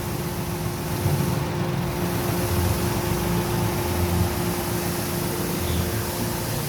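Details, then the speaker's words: Toyota Wigo idling around 900 rpm with air conditioning on, no check engine light, history code P160 cleared but shaking persists; idle wavers and stumbles under compressor hum, misfire from dirty fuel injectors. "makina ah nanginginig yung makina"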